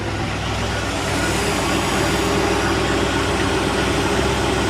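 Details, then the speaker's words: 1986 Shamrock boat Ford 302 V8, first run in 3 years after the fuel pump wiring was corrected so the carburetor gets fuel. Steady, even low rumble with no misses or surges; a smooth idle with good water flow. "Sounds like it's running. Boy, sounds really smooth. It feels like it's running."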